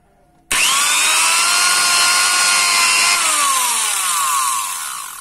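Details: Angle grinder serviced after running rough: steady, clean high whine with no scraping or rubbing, then the pitch slides smoothly down as it coasts to a stop; running normally after service.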